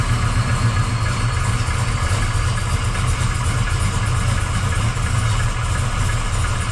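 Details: 1979 Camaro Z28 V8 after replacing the noisy Pete Jackson gear drive with an Edelbrock double roller timing chain, new balancer and water pump: first start, deep even idle burble with no gear whine; normal idle.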